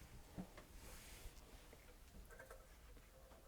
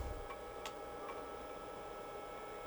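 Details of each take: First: IBM PC 5150 from late 1984 being restored, motherboard powered with speaker but no graphics card: one long beep about 1.5 seconds then two short, POST passed, no display adapter found. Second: IBM PC 5150 (late 1984, Australian-assembled) power supply during restoration, first power-up with two drives attached (hard drive known faulty), fan checked good; faint steady hum with a couple of light clicks as it powers up under drive load; running normally.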